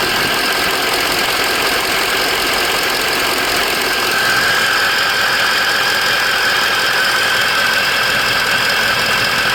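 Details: 2004 Ford F350 6.0 Power Stroke diesel after Sinister Diesel adjustable fuel block / blue spring upgrade: steady even idle with turbo whistle rising over the clatter, no misses or knocks; normal running.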